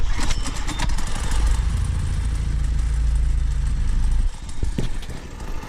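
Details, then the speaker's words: Engine running on race fuel with fuel still in it: deep drone for about four seconds, then it abruptly drops out and only sputters weakly; engine cutting out, race fuel suspected, not confirmed. "it's kind of the race you'll probably like the race fuel by cutting out because we still have a fuel in it"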